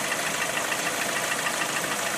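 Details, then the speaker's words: Lada Priora 126 engine, hot idle: light, fast, regular diesel-like ticking knock. Service said the piston groups need replacing; earlier, pulling the cylinder 4 coil stopped the knock when cold. After piston repair the knock was gone; car sold at 100,000 km. "Ну, вы можете услышать этот характерный звук, похожий на дизельный."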